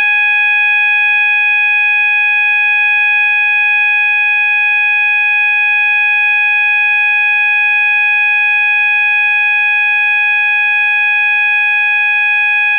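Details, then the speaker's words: System Sensor MASS121575ADA sounder, 800 Hz continuous tone (clips B and C): steady unbroken tone with bright overtones, no warble or pulsing; working correctly. "so we're gonna start out by testing with the 800 Hertz continuous and that tone is generated when you just insert Clips B and C here we go three two one"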